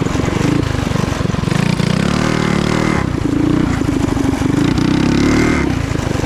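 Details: Trail Master MB200 mini bike, stage 3 223cc single, open exhaust, after swapping rubber engine-cradle bushings for metal slug bushings: revs and holds under load with a smooth pull, no chain slap or skip; before, the cradle twisted and the chain skipped. Normal.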